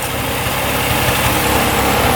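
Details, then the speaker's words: 2002 Polaris Scrambler 400cc 4x4 ATV restarted without choke after sitting about an hour: steady, even idle with no misses, knocks or hunting; runs healthy. "let's see if it starts right back up again all right here we go let's see what happens running pretty good"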